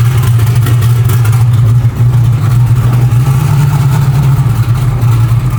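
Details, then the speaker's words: Chevy Nova, still a little cold, running on pump gas with a tune not dialed in, normally on methanol; loud, deep, uneven rumble at a lumpy idle with slight stumbles, rough running. "Yeah, she's still not running super great. Um, it is on pump gas right now."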